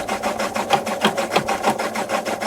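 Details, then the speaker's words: Mabe 18 kg washing machine with the drain pump evacuating excess water before the spin starts; fast, even whirring rattle pulsing about three times a second; normal drain pump operation. "ruido de fondo es la bomba de agua la cual ha estado evacuando el exceso de agua en el interior de la lavadora"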